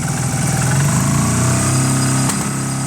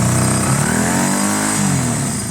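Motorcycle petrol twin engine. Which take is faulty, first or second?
first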